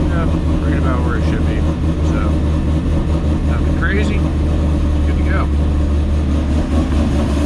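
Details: Ford GT500 with 2.5 pulley and updated tune, after new spark plugs, cold start: deep, steady V8 burble with slight choppiness while warming; engine sounds healthy.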